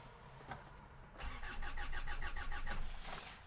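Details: 2008 Hyundai Santa Fe 2.2 diesel, about 320,000 km, broke down on freeway: steady starter cranking around three beats a second that never fires; crank sensor waveform noisy, tone wheel suspected but not confirmed; crank-no-start.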